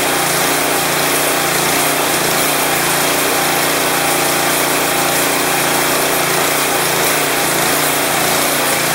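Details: Craftsman 179cc 22-inch snowblower (PowerMore engine), off choke on fresh gas with Seafoam, before repair: buzz hunting slightly up and down instead of holding steady; surging from a clogged carburetor main jet.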